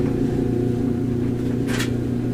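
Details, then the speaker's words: Electrolux/Frigidaire stackable dryer GLET1031CAS0 after replacing drum parts from a maintenance kit to cure a loud squeal: steady low hum, drum turning smoothly and quietly with no squeal or chirp; normal running, clearly improved. "we go definitely an improvement over the way it was beginning of the project"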